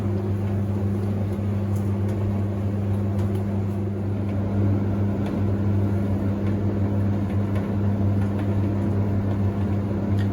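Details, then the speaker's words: 1991 Hoover Ecologic D6722 tumble dryer after internal de-fluffing: steady even low hum with smooth drum and faint soft ticks, heating normally; normal running. "sounds a heck of a lot smoother than my original one"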